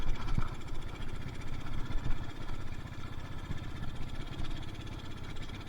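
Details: Yamaha Mio Soul carburetor scooter with no power, rpm won't rise past half throttle: low, uneven chugging that never climbs in pitch or gains power, too much fuel entering the combustion chamber; rich bog.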